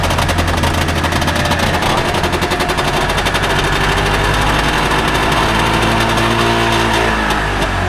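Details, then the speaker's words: Recently bought Trabant 601 two-stroke, first start attempt: a loud, rattly two-stroke putter fires up and keeps running without stalling, a bit rough but healthy enough; normal running. "Okay, also ihr hört, der Motor springt schon mal an und klingt nicht schlecht."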